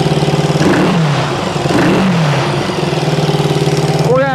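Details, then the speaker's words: 1974 Honda CB360 twin built from parts bikes, smoking, hot on both cylinders: revs up and down with a sharp puffing, ticking chuff on each firing pulse, louder under throttle; big exhaust leak. "oh yeah we got a big exhaust week woohoo wow really idle adjustment no nothing definitely got an exhaust leak"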